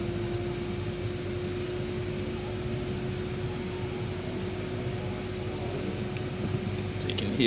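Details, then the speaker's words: Mini Cooper electric cooling fan running steadily with an even whirring rush and mid hum while the engine temperature is brought up. The car was diagnosed for no stage 1 fan caused by a faulty fan resistor, and the fan is now operating normally. "so um it's all operating that same fan the fans running at the moment we'll need to get the temperature up"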